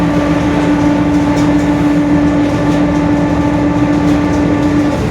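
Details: 2021 Mercedes-Benz OF-1721 BlueTec 5 bus, Marcopolo Torino S body, recorded on board while driving: steady mid-pitched whine over the diesel drone, pointing to a growling rear differential; cause suspected, not confirmed.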